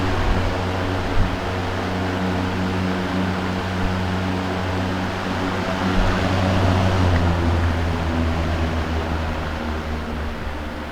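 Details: Mid-1970s Manning Bowman 3-speed box fan with new cord on medium: smooth even hum, steady low drone and soft airy whoosh, no rattles or ticking; runs healthy.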